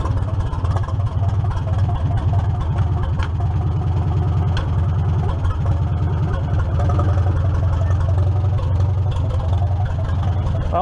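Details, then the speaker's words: 1947 Farmall M after belly hydraulic pump and clutch service: even, low idle with no pump whine; hoses pressure up and rpm drops under hydraulic load; everything working, healthy. "pump stopped making any noise which is good [Music] and you hear the hoses pressure up see them release you can watch the holes and stiffen up here the RPMs drop when it loads up so that's good everything's working"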